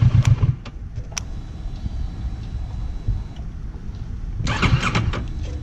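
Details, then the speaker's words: Kawasaki Versys 650, warm engine with idle about 900–980 rpm: starter cranks in short bursts, the engine hesitates and stumbles without catching and nearly floods. Failed hot start from idle set too low. "e afogou tá vendo é exatamente isso que acontecia quando a minha marcha lenta não estava bem configurada"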